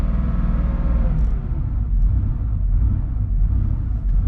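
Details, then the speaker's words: Warm Porsche 3.2 Carrera flat-six, rebuilt engine, idling around 1000 rpm after a brief rev: deep rumble rising and falling slowly and irregularly; idle surge that stops under clutch load, caused by base idle adjustment set too high. "it's good and warm now it's idling but if you look it's idling a bit high at a thousand rpm that's a bit high so check this out this is very interesting i'm just gonna kind of to speed it up a little bit all right let it back to idle and there's our surging"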